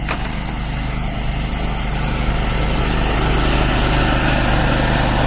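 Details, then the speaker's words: Small air compressor building pressure for sprinkler blowout: steady even pump drone swelling slightly louder as tank fills; normal operation. "now is i'm waiting to build up the pressure which is it will give the other noise which is sign"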